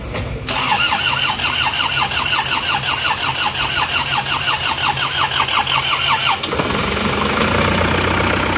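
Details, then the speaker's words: Isuzu Panther engine after repair and cooler replacement: steady cranking for about six seconds, then it fires cleanly into an even idle; starts normally. "Wes aman nih, wes ora berembul ada ini. Oke, mesinnya sudah hidup."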